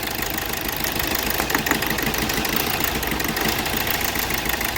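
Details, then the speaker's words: 2012 Hyundai Verna Fluidic diesel at idle: rough uneven heavy knock about three times a second from dead cylinder 3; injector 3 circuit-open fault in ECM, very low supply to that injector, unplugging it changes nothing. "ਹਾਂਜੀ ਜਦੋਂ ਅਸੀਂ ਇਹਨੂੰ start ਕਰਦੇ ਹਾਂ ਤੇ ਜਿਹੜੀ ਇਹਦੀ missing ਆ ਤਿੰਨ ਨੰਬਰ ਸਲੰਡਰ ਦੀ ਬਹੁਤ ਜਿਆਦੇ ਨੋਕਿੰਗ ਹ ਕਰੀ ਸਟਾਰਟ ਜਦੋਂ ਅਸੀਂ ਸਟਾਰਟ ਕੀਤਾ ਤੁਸੀਂ ਦੇਖ ਸਕਦੇ ਇੰਜਨ ਬਹੁਤ ਜਿਆਦਾ ਨੋਕਿੰਗ ਕਰ ਰਿਹਾ"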